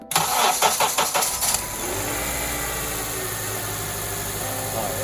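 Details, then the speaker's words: Honda Element with a blinking check engine light, cold start: it cranks, catches and idles with an uneven stumbling beat. Misfire felt mainly on acceleration; a possible injector issue is suspected. Cylinder misfire. "definitely misfiring let it kind of warm up for a second so only on acceleration that's when you felt it"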